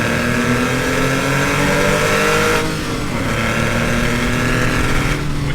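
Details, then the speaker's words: Porsche 996 911 flat-six, owned two and a half years, free rev: smooth rise and fall, clean even exhaust note with no knocks or rattles; healthy engine. "as many of you know that nine nine six nine eleven is one of the unloved 911s out there but for me I think it's beautiful and it sounds like this"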